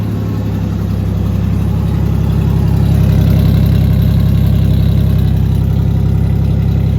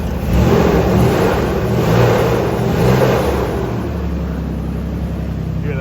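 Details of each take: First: 3.0 Ford Ranger just fitted with a new cylinder head after a bad exhaust valve seat on one cylinder; idles smoothly like a sewing machine with a deep even exhaust rumble and no knocks or ticks. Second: 3.0 Ford Ranger at idle after a new cylinder head replaced one with a bad exhaust valve seat; a constant whooshing fan roar never drops off because the clutch fan is stuck on.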